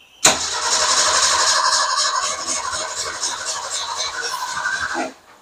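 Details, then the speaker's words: Car that sat for a while, cranked with fuel from a gas can after fuel system checks: a steady starter whirr at about four turns a second for nearly five seconds, never catching. It wouldn't prime with the fuel pump; fuel delivery suspected, not confirmed. "it wouldn't prime up when I had the uh fuel pump on it and cranking it and stuff."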